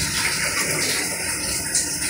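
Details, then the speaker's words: LG 10 kg top-load inverter direct-drive automatic washer, after repair of a metal-on-metal banging underneath during wash with low water, now filled with water: even sloshing and churning, no knocking or scraping; normal wash cycle. "Yan, nag-wash siya ngayon. Tapos wala nang maingay. Wala nang tumutunog."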